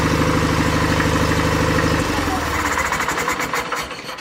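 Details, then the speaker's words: 49-year-old John Deere 318 lawn tractor with a small engine, running on battery with the charger off: fast uneven pulsing that breaks into ragged, stumbling firing; engine stuttering, owner suspects the very low battery. "The battery charger is off, but soon when I went to go disconnect it completely, it started running stuttering."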